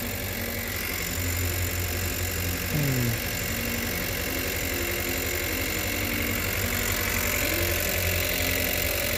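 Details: 2018 Chevrolet Cruze 1.4L turbo petrol idling, codes P0300 and P0201; uneven loping pulse from a cylinder 1 misfire, scope shows that injector never firing, so the injector is bad.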